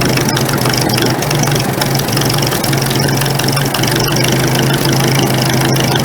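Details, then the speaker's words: Carbureted engine with the choke pulled out a little: the note falters and breaks up irregularly, misfiring and not wanting to stay running. Cause unknown. "ush it in here starts missing definitely does not want to stay running"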